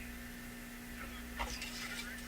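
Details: Addison 5-tube radio at lowest volume after component changes: low steady hum persists under everything; cause still not found.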